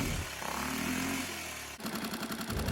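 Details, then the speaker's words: 6.5 hp Hangkai four-stroke outboard, formerly flooding, now fitted with a modified Yamaha 6 hp carburetor and running with the cover off. It putters unevenly into choppy pulses as the air screw is turned; mixture needs carburetor adjustment. "sounds like we need to make some adjustments to the carb you got to really hone in on those listening skills and focus on what the engine is doing"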